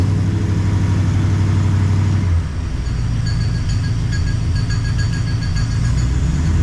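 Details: 1969 Plymouth Fury III V8 after rear main seal replacement, noise from the front of the engine, both belts removed. A steady idle with a fine rhythmic scraping tick over it: the harmonic balancer rubbing the timing cover.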